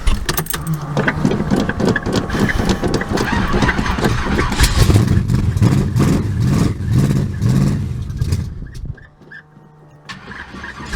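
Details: Carbureted Buick Regal that wouldn't start, cranked after priming the fuel pump while pumping the gas: it catches, stumbles briefly, then settles into a rough but steady low idle before shutting off.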